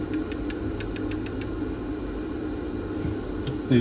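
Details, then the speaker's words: Nakamichi DR-2 cassette deck capstan motor during restoration, before oiling: a steady, rough whirring hum with faint creaks, loudly, from dry bearings that need oiling. "Now we need to desolder this board to open motor and have possibility oil both bearings in it."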